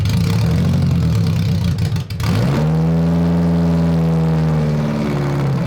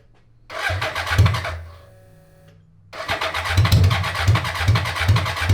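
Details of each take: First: 1980s 1000cc BMW engine in a homemade mini trophy truck go-kart, after a wiring fault behind the cluster was fixed: clean idle, then crisp revs up to 8,500 rpm with a smooth, even note and no stumble; running healthy. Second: 1980s 1000cc BMW engine in a homemade mini trophy truck go-kart, air flow meter hose bypassed to rule out a lean-causing leak. Cranks, catches, then runs lumpy with pops and fireballs, seeming rich; not fixed: rough running.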